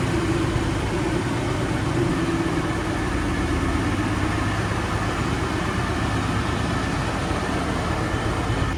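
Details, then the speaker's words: Supercharged Mustang V8 drag car with a new Fast Forward Race Engines built motor and built transmission, first run in months, at idle. Steady, deep, smooth idle with no knocks, misses or whine: healthy. "That blower is very loud. Haven't heard this thing run in months. Heck yeah. Sounds good."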